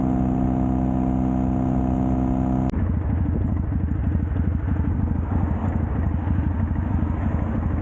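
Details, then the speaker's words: Custom Triumph Bonneville T100 with Down & Out drag pipes, after stage 1 torque kit and stage 4 ECU remap: steady even idle, then deep regular grumble pulling cleanly on throttle, no pops or backfires; normal exhaust note. "I've now got the low grumble, backfiring stopped, popping stopped. The bike absolutely runs like a dream."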